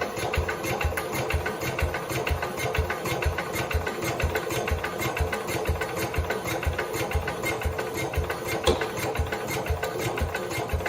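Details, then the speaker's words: 1969 Cub Cadet 105 after engine reassembly, previous ignition problems, choked with power to coil; steady rhythmic cranking about two beats a second, briefly tries to fire but won't start; owner suspects camshaft or crankshaft. "I'm not sure if you guys heard it but I heard it so it did try to Fire Let's unchoke it"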